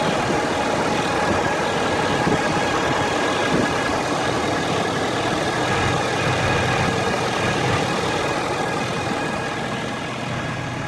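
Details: Ford F350 diesel truck at warm idle, engine and transmission warmed up: steady thin whine at constant pitch over clattery idle, from top of engine near black box, driver's side or center; dealer suggests transmission, several dealers found nothing.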